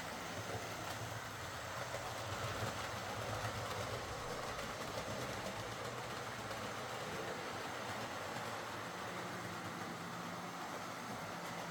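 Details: Model HST with high mileage and worn brushes, test-run after a full ring field service, bogie cleanup and replacement brushes: even, steady motor whir with light rail clatter, no scraping or stutter. Normal running.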